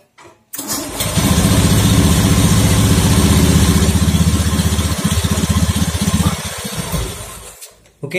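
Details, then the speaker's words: Honda Beat FI scooter after cleaning the CKP sensor with compressed air (history showed CKP fault, found only dirty): catches quickly on starter, settles into smooth, even idle with steady low thrum; normal start and idle. "lancar Ya nggak ada masalah di ckp nya ya cuma kotor aja ya"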